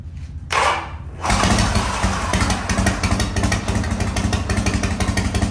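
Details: 1985 Harley-Davidson FXRS Evo V-twin, sat five years, now on regular gasoline: catches after a short crank and settles into an even, lumpy beat holding steady with no misses; normal start and idle.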